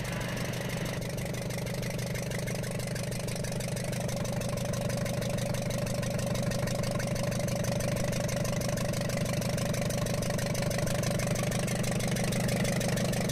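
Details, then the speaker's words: Ashok Leyland Captain BS4 N4 diesel 4923 truck, smoke and pickup problem: sharp regular tapping about three per second at idle, like a leaking injector, with raw diesel leaking; valve bridge fallen off first rocker from rear. "देखिए दोस्तों यह हमें यह problem मिली है इसमें इसमें वाल bridge गिरने के कारण एक ऐसी आवाज आ रही थी जिस तरह से कोई इंजेक्टर डायरेक्ट भी होता है उसी तरह से नॉइस निकाल रहा था"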